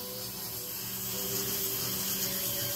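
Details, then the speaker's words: Precor treadmill being refurbished, front of unit: steady high-pitched squeal/whine with hiss over motor hum, getting louder with speed. Cause is the drive belt, quieted by rubbing a waxy bar of soap on it. "it's a high pitch it's a very high-pitched squealing noise and the faster you go"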